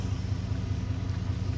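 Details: 1991 Chevy Silverado V8 at idle, under diagnosis of the idle air control and MAP sensor ground: a steady low burble with even firing pulses and no stumbles or misses; a smooth, settled normal idle.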